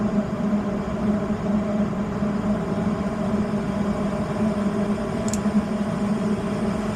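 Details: Westinghouse 90% furnace at a daycare with a loud inducer and a bypassed main limit, after ignition as the blower comes on: smooth, constant low hum from blower and inducer, no rattles, squeals or cycling; running normally.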